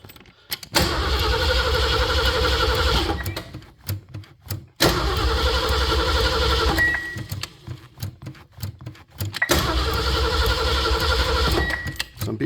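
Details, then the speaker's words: 1974 Ford van, sat 30 days in Arizona heat after fuel pump replacement and carburetor rebuild: three long bursts of even cranking about four beats a second, never catching. Carburetor confirmed not getting gas; cranking no-start. "Well, we're going to find out, no, no gas is carburetor is definitely not getting gas."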